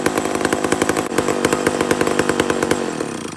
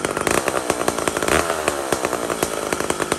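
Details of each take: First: Mac 125 SP big chainsaw holds a strong, even high rev for several seconds with no bogging, then shuts off cleanly, pulling well in wood. Normal running. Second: Mac 125 SP chainsaw being tuned while cutting wood. In the cut it burbles and four-strokes unevenly because the carburetor is set too fat and rich, so the mixture is being turned up leaner.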